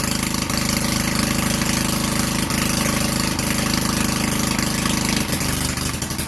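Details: Vintage Generac Niagara generator model 5621-0 with a Tecumseh 5 hp single-cylinder engine, choked and started after the gas hose and air filter were replaced; it chugs at a fast, even beat with a rough exhaust bark and runs normally.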